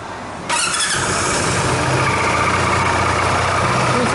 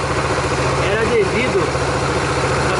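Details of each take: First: Dafra Maxsym 400i scooter at about 17,000 km, starting and idling: thin high squeal over the engine from the CVT, before disassembly and cleaning. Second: Dafra Maxsym 400i scooter at about 17,100 km, after CVT cleaning for a hiss, brake pad change, gear oil change and throttle cable lube: settles into a steady, even idle with no drive-side scraping or rattling; healthy.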